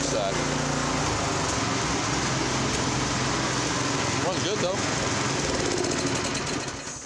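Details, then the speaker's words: Honda F501 tiller with new GX-clone replacement engine at about 3590 rpm top speed: slow rise and fall in pitch, slight surge; governor hunting, lean pilot jet suspected; governor hunting from lean mixture. "35.90 that's perfect it's got a bit of a surge I think it's still a little bit lean got a governor hunting a little bit"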